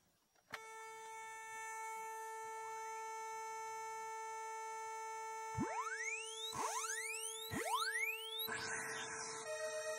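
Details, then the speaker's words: Commodore SID sound chip number four under test: steady test tones with repeated downward-sweeping chirps, then a garbled, noisy burst where the filter test should be clean; the chip is faulty. "so yeah that sounds a little screwed up that was the number four chip and on my list here i wrote that one down as just all screwy"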